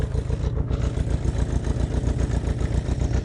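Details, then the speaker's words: Honda CB500/550 motorcycle with an idle problem: a low, slightly uneven thumping idle that sags once the engine has warmed up a little. The owner then adjusts the idle screw, and cause is unclear. "now the idle's dropping a bit now it's warmed up a little"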